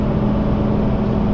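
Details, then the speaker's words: Heavy truck at cruising speed on snowy road with full-tread, 12-inch-wide all-terrain tires sticking outside fenders: steady hum from air crossing tread voids, normal, not loud. "You can definitely hear the hum and it's gonna be the voids in that tread design, the air coming across, especially being 12 wide that they stick outside the fender."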